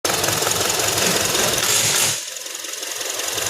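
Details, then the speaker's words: Honda 2.4 four-cylinder idling with an uneven stumbling beat from a cylinder 4 misfire; coil, harness and compression were good, and a bad number 4 injector was the fault. "What's up, guys? It has a misfire on number four running wheel uh lock."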